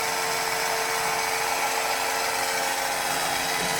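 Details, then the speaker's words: 1991 Williams Terminator 2 pinball machine, neglected, first power-up after factory settings restored with new backup batteries: steady whirring gun motor drone with faint mechanical rub as the gun sweeps, apparently calibrating. "and that's fine because this is the first time it's coming up with batteries that hopefully work you see the guns going bananas i think it's calibrating"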